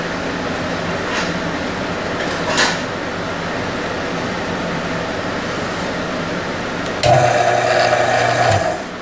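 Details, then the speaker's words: Harbor Freight belt sander: the motor gives a steady electric whir, but the belt does not move. "my my sander here stopped working and if we turn it on it makes the sound the motor works but the belt does not move"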